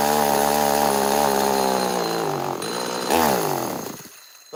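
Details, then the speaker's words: Neotec NS832 chainsaw, still weak after a coil change: two-stroke buzz holds high then sags and falls away instead of climbing when throttled; bogging under throttle, owner suspects a carb problem such as flooding, unconfirmed. "I was pulling the trigger, and man, that's got to be a carb problem. Maybe it's flooding itself somehow."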